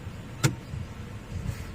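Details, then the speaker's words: 2010 Toyota Camry 2.5L automatic, being tested for codes P0741 and P2714 with no codes present: low steady idle with one quick light click on shifting into neutral, completely normal engagement. "that was completely normal"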